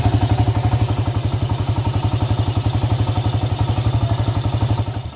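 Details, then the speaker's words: Honda EX5 Dream single-cylinder motorcycle at idle: harsh, loud even thumping about four knocks a second over a rough idle; suspected loose flywheel (magnet) nut or loose cam sprocket timing screws, not confirmed. "masalah engine ini bunyi kasar dan bunyinya itu memang cukup keras juga lah punya dia itu"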